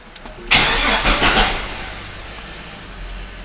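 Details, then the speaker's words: Chevrolet S10/Blazer 4.3 V6 Vortec after oil pan gasket replacement, static test in the garage: a sharp start, then about a second of quick, even cranking with no firing; normal starter cranking. "OK the starter motor turned right now I'm going to turn it just one more a little bit start"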